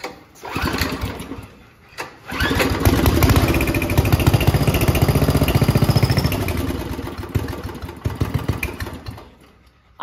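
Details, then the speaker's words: Homemade junkyard go-kart small engine that never ran. It has gas and spark; with brake cleaner squirted into the intake and a pull start, it fires in small pops for a few seconds, then dies. Suspected cause: the carburetor starving it of fuel. "just to see if this thing will run I squirted some brake clean down his throat and I'm gonna pull her through"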